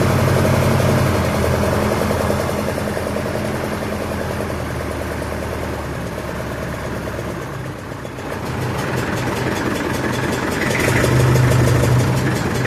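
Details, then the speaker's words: Massey Ferguson 65 diesel tractor running in shop after battery replacement, throttle slightly above idle, charging during alternator test: steady even chug with low drone, no knocks or misses; normal fast idle. "So, while we wait, we have that door open. It's running in there charging."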